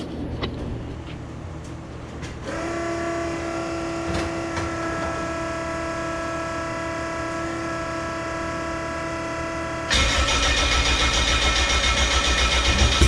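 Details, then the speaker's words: AWD EG hatch project car on M&W Pro Drag 4 ignition, ECU ground fixed the day before, start before its first drive: starter cranks, engine catches into a steady idle with a whining tone, then revs cleanly and evenly; running healthy. "So I'll go ahead and get this started for you guys so you guys can hear what it sounds like. Sounds awesome."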